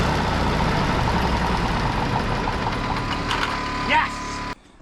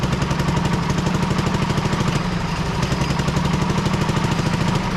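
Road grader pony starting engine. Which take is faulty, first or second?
second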